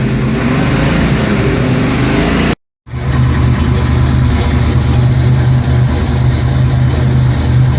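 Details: 1972 Mustang Mach 1, rebuilt 351 Cleveland Cobra Jet V8 with Wolverine Blue Racer cam (510/536 lift, 290 duration), not yet warm; short blip then choppy, loping idle; normal lumpy cam idle.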